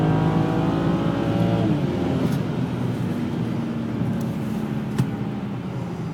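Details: Vishnu Procede V5 automatic, BMW N54 turbo petrol engine, boost shown on fuel gauge: pulls smoothly, then turns rough and stumbling under boost as it misfires even after a harness update.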